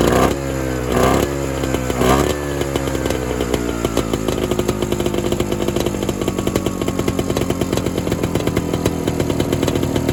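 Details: Evinrude Bobcat 25hp two-stroke snowmobile that sat 20+ years, cold started with a shot of fuel after standing a while, with the carburetor suspected: sputters and surges after a few pulls, then settles into a rough, uneven idle; poor running after cold start.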